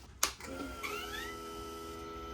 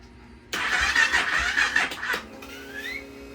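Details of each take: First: Honda Rebel 300 after repairing the corroded fuel pump and charging the battery: at key-on a thin electric whine rises, holds about 1.5 seconds and stops, normal fuel pump priming. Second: Honda Rebel 300 being revived after fuel pump repair; starter turns under two seconds with a labored, uneven churn and no catch. Weak battery dragging the crank; battery read 12.18 V (about 50%) despite being brand new, owner suspects cold or charging.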